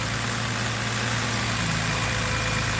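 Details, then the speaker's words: BMW X3 3.0L six-cylinder right after a spark plug change, first start: lumpy idle with a wavering low note, possible misfire; mechanic suspects another intermittently bad ignition coil, later smoothed out. "Might have another bad coil, too. I'll have to check it out."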